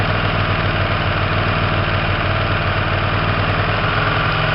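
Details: Warm Hyosung GTR 125 twin idling during carburetor mixture screw adjustment by ear (front about two turns out): steady low even beat, no misses or knocks; mixture sounds right, idle healthy.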